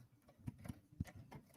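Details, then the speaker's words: Embroidery machine stitching a quilt block: faint, uneven clicks about three a second from the upper threading area; something catching, cause unknown, rethreading being tried. "But like, it was making some weird clicking noise that definitely sounded like this area."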